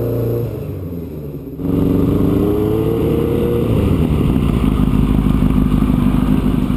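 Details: 1983 Kawasaki GPZ-550 garage find after carb rebuild and tuning, Kerker exhaust: four-cylinder picks up from idle with even rising exhaust note, no misses or stumbles; running healthy.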